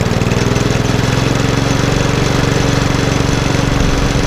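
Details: Lawnmower with RV150 engine and Briggs air box, after reassembly, refuelling and tightening carb bolts: small single-cylinder chugging at a steady even beat with no knocks or misses; normal running.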